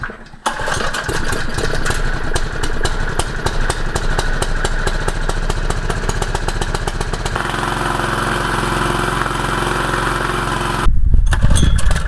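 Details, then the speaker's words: Used jumping jack tamper after a carburetor cleaning and a torn intake gasket behind the carb, air filter clamped on: firm, even thumps three to four a second over a steady drone, stomping a 4-inch hole; normal running. "good news looks like it's running not bad i ran it for a good while just to make sure and it dug about a i don't know four inch deep hole in the ground from just sitting there stomping"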